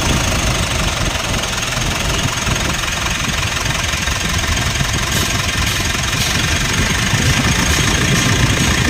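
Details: 2016 Mitsubishi Montero Sport diesel, after replacing the failed alternator bearing: steady idle clatter, even loudness, no whine or rumble on top; noise gone, engine sounds normal.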